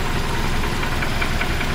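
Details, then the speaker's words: 1976 BMW 2002 E10, back on a new battery after sitting about a month, warm idle running without the air pump: a sharp light tick about five per second over a steady low rumble. The top-end knock goes away when revved; cause unknown, owner accepts it. "Still got that top end knock there which is just I don't know goes away when you rev it a bit. Anyway, we'll be okay with that."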